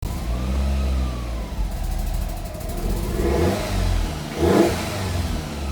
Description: Fiat Coupé 1994 16VT rough idle, exhaust leak and almost cutting out.